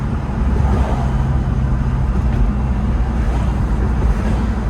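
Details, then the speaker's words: 1997 BMW 318is shell with 1999 S52 engine, VF Engineering supercharger, new head gasket, rebuilt ZF transmission, test drive: steady deep drone under road noise with supercharger whine, no rattle or knock, smooth shifting; normal engine running while driving. "no rattling. Suspension's all brand new. Supercharger whine. Shifting is smooth."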